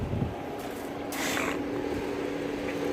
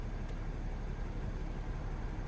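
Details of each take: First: Mercedes ML350 W164 at idle with engine light on and climate control dead: steady rushing air roar building over several seconds as the radiator fan runs constantly at full blast; cause suspected, not confirmed. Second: Mercedes ML350 W164 after repair of a radiator fan that always ran at full blast, engine restarted with AC on: quiet, low, steady idle with no fan roar; the cooling fan has stopped and the engine idles normally.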